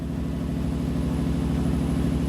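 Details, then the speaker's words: 1993 Lexus SC400 V8 (1UZ) idling high and hunting at about 1800 rpm, fluctuating between 1500 and 2000 rpm with a fast, throbbing idle; the fault was a failed idle air control valve. "it's at about like 1800 rpm is what i'm seeing right now i don't know if you guys can hear me or hear this idol but it's it's all over the place right now it's going up and down"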